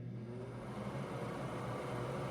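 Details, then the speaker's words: Old-style 60 CFM bathroom exhaust fan with a large motor that gets very hot, compared with a new 60 CFM upgrade: steady low hum rising only slightly in pitch; fan is slow to come up to speed. "But this motor is massive and it gets extremely freaking hot for a small ass fan, and it takes forever to speed up."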